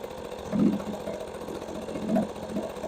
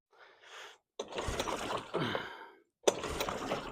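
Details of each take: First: Two-stroke outboard, first run of the season after a failed start: a quiet, even putter with only soft swells and no misses or knocks, running normally. It spits a slight mist when revved. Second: Two-stroke outboard, first start of the season on choke: two short pulls with weak sputters, then a brief two-second buzzing run that fades out, with fuel pouring out afterwards. Owner thinks it flooded. Starts briefly, then stalls.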